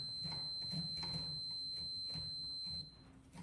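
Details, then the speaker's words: 1970 GMC C2500 after steering column and shifter rebuild, shifted from reverse back to park: the warning buzzer sounds thin and high but sputters and breaks up instead of sounding cleanly; owner thinks the switch might be bad. "so we're going to go back in the park and it should start beeping okay so we're beeping there well that does not sound good in there I think that switch might be"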